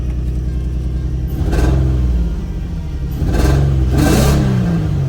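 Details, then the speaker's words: Cheap daily-driver challenge car, check engine light no longer showing; two throttle blips, lumpy uneven low idle, sounds terrible but no miss, seems better. "sounds terrible, but it doesn't sound like it's missing."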